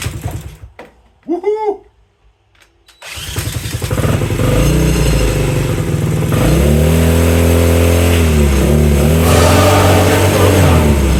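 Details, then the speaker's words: Honda CL90 swap-meet find, bored to 150cc with big piston, cleaned points, fuel on, choke: catches after a few cranks and settles into steady, even single-cylinder idle without knocks or misses, exhaust not cleaned out—normal start and idle. "woohoo what well guys that sounds great that thing sounded good now here comes the oil I can't believe how well that sounded too"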